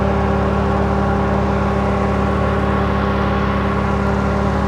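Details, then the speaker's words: 2012 Camaro rebuilt engine idling on next-day test run after radiator repair and antifreeze refill, heater hoses hot but no cabin heat (owner suspects blend door): an even fan whir over a low idle, no rattles; fans running normally. "Fans are kicking it."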